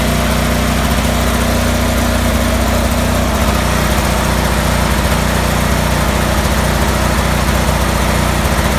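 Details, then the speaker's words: Cub Cadet 3184 with Kohler CH18 18 hp twin: loping, uneven idle around 200 pulses a minute instead of a steady thrum; rough idle, cause unknown. "Cub Cadet 3184 with a Kohler 18 horse CH18 weird idling issue."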